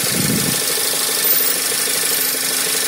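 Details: 2012 Skoda Superb II 1.8 TSI CDAA, first owner, 112,500 km, idling: a steady idle with an odd, fast, rattly ticking over it, source unclear. Abnormal engine noise at idle.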